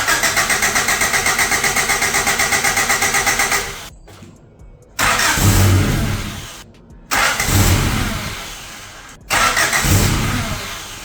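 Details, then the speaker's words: Abandoned high-mileage Honda CRX after timing work and reassembly: starter cranks steadily about four beats a second, then three short tries without catching; timing ruled out, fuel suspected, but cause was unplugged connectors. "So that didn't go well. I know it's not the timing because we already started it after the timing. I just got to go through, recheck everything in there, and see what's going on, see why it's not turning on."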